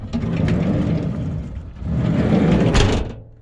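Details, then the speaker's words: Peugeot Expert camper-conversion van door, before sound deadening: two heavy slams, each followed by a brief hollow drumming buzz. The big bare door skin vibrates badly when it shuts. "Now I've got to take these door cards off and get into the doors, because they're the wings that vibrate the most. Yeah, it's just a big panel. That's why we're having this issue. Really bad. Really bad when it shuts."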